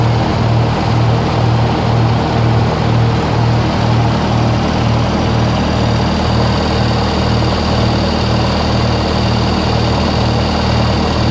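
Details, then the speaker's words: 1948 Lincoln SA 200 welder, revived with very little work: steady low idle with an even, unhurried beat around two per second and no knocks or misses. It runs healthy, though its small fuel tank is running out. "I mean you're out of fuel of course your your fuel tanks kind of small it's that red phone but man it sounds good"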